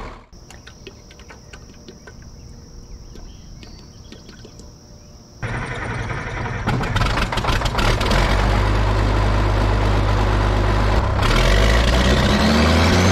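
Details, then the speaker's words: Caterpillar 977K track loader revived after sitting 12+ years, hydraulic line just fixed; diesel started after a little more cranking and settles into a steady, even low rumble at idle while warming up, sounding good. "it popped off with a little bit more cranking it sounds good it's sitting there idling nice go ahead and give it a second to warm up"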